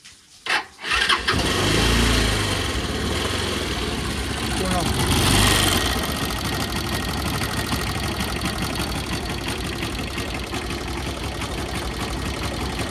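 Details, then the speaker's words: Bajaj Pulsar motorcycle idling with a light, quick tappet tick of about three per second that increases with rpm, heard from the engine head. Incorrect valve clearance is suspected, before adjustment. "I hope you can hear the tick tick tick tick sound. This is from the tablet."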